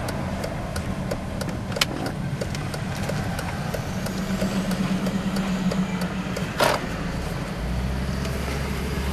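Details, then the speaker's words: 2000 Mercedes-Benz C240 with 76,000 km, driving with window down in traffic; smooth, even engine note rising cleanly while accelerating through the gears; normal acceleration. "you can see it just accelerates flawlessly and the braking is superb"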